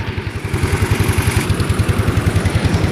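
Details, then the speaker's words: Old Yamaha Mio scooter that was totally dead with a flat battery, after replacing the burnt stator coil and fitting the regulator. It starts immediately and idles with a steady, even putter, about 3.5 beats per second, with no misses. Normal idle. "Mantap ya, langsung hidup, mantap, berhasil ya, motor langsung hidup ya."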